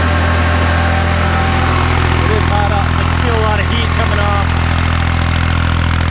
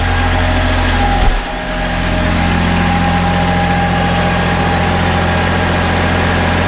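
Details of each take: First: Kubota B7100 diesel tractor running a NorthStar PTO generator at about 4000 watts, roughly eight horsepower: deep, steady drone holding even speed under load, no knocks or misfires; running healthy. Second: Kubota B7100 tractor driving a NorthStar PTO generator (7200 W rated): steady diesel run, then a thump as the battery-charger load of about 23 amps kicks in and engine rpm sags and labours.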